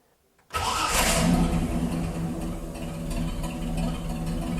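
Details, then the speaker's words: Jeep Willys started with key in neutral; temperature gauge stays very low and charging light sometimes flickers at idle until revs rise. Starter catches at once and the engine fires into a loud, rough revving idle; strong, normal start. "xe Jeep này làm mọi người khiếp sợ với sự khởi động này nó là một quái vật"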